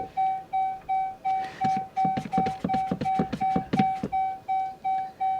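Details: Dodge Charger electric car after its dead 12V battery was recharged, showing a charging-port error and a Uconnect service warning while failing to start or go into gear: a mid-pitched warning chime repeats nearly three times a second with some clatter underneath. The cause is unconfirmed.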